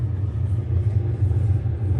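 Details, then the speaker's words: Arçelik refrigerator after repair: steady, even low hum of the interior fan blowing air normally. It starts shortly after the door button is pressed and the light goes off. This blowing sound was absent on arrival. "geldiğimizde bu üfleme sesi yoktu bakın nasıl düşlüyor"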